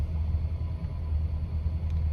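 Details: 1980s Lincoln Continental Mark VI carbureted V8 idling after a stalling problem was fixed by installing a new crank position sensor by the harmonic balancer; deep, steady low rumble with an even beat and no stumbles; repair successful.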